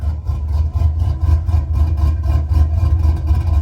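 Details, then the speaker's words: Chevy Silverado 4.8L with mild cam (about 260/220 duration, 550 lift), idle tuned with HP Tuners: deep low idle with deliberate uneven loping chop about twice a second, like a big cam; running fine. "it's got a better rhythm and but i what i mean by that is it has a little like a rhythm to it it sounds better that's what i call a chop"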